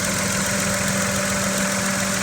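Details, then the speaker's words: 2017 Mitsubishi Mirage three-cylinder, stock except K&N panel filter, at idle: light buzzy rattle on a steady idle as the loose intake tube jiggles against the engine; intake tube rattle. "the intake tube just jiggling away. Yeah, that's what you get when you buy the cheapest production car in America, everybody, just so you know."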